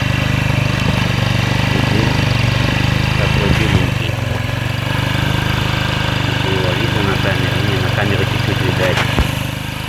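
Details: Engine after a valve-knock repair and overhaul with new valves: steady, even low putt at idle with no valve tapping, though some smoke is still present and the cause is unclear. Normal idle.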